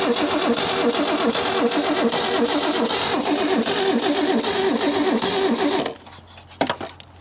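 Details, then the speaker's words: Holden Commodore, first start after 15 years unrun, coil wired directly, firing order 1-5-3-6-2-4: uneven lumpy idle with skipping exhaust beat before shutoff; one cylinder missing, suspected hung valve or misfire, unconfirmed. "d and there you have it oh she's got a bit of a missing it so I've got 1 5 3 6 2 four sounds like got we got a valve hung open or there's a Miss in [Music] it"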